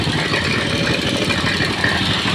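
Steady, even idle with a smooth unbroken beat and no knocking or ticking; the engine sounds healthy.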